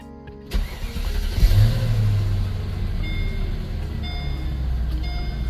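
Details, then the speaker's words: 2005 Mercedes SL 500 V8 after alternator replacement, recorded inside, push-button start: catches quickly, settles into steady deep even idle, no knocks or misses; exhaust moderately loud. "uh the exhaust is not overly aggressive my son wants to do something to that I'm trying to tell him not to I feel like it's just got the right amount of sound to it"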